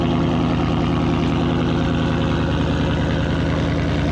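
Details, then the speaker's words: 2019 Mustang GT V8 on cold start: deep, extremely loud unmuffled burble at idle, quiet start not engaging; active exhaust valves stuck open, with clicking from the active exhaust. "okay as you can tell that's extremely loud and that was absolutely not quiet start so I've yet to hear the video back but I assume I could hear the clicking from the active exhaust from where I was sitting"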